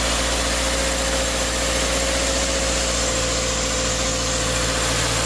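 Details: 2012-2018 Subaru Forester 2.5L non-turbo after replacing belt, idler and tensioner: steady even idle with faint constant hum, no squeal or chirp from the belt area; engine running cleanly.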